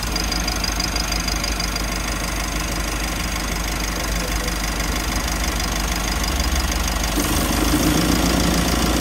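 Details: Mitsubishi L300 FB van idling with AC on knocks and rattles about three times a second; the compressor strains from excessive high-side pressure, the condenser being too small for the replacement compressor, and it gets noisy after running a long time.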